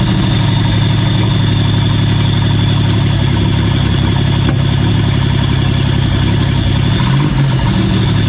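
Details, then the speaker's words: Replacement 3800 engine in a 1988 Pontiac Fiero-based F355 replica, start with oil pressure now present: strong, steady idle with an even pulse and one brief bump; a spark plug wire may be crossed; normal idle. "but guess what we have oil pressure oh there's a nice sound"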